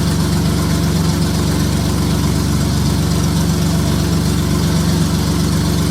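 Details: J35 engine (about 183,000 miles) swapped into a Subaru Baja, warm idle on a cool fall day; smooth, even low-pitched beat, no knocks or ticks. Oil pressure about 60 psi, coolant near 150 with a fan on, compression modest, radiator struggling.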